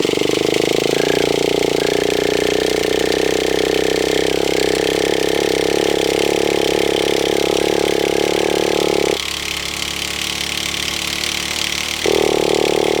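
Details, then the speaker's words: Traxxas T-Maxx 2.5 nitro RC monster truck, run after sitting a long time: long, steady high-pitched cranking whine with a short pause, never firing; engine is flooded but still turns over. "little bit flooded now little bit of a tip there if it ever gets flooded your car gets flooded but it's not flooded to such an extent that it won't turn over"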